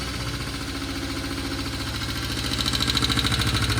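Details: 1972 Honda CL350 twin after carburetor idle adjustment: steady, even idle that picks up cleanly on the throttle and settles straight back to 1100 rpm. Finding: normal throttle response and idle.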